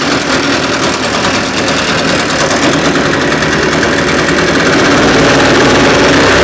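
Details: Echo PB580-T backpack blower, two-stroke, after throttle swap from another Echo model, different carburetor and new spark plug, air filter off, warming up: high buzzy note holding steady, rising slightly, staying clean and even; running properly.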